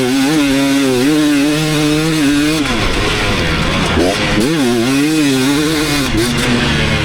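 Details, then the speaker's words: 2019 KTM 250SX two-stroke running clean after Lectron Billetron 38 Pro carb tuning: crisp revs, no pinging, revs fall without hanging; sweet spot, barely any detonation except slightly when hot. "all right so I think I really hit the sweet spot that last one pretty much no detonating anymore"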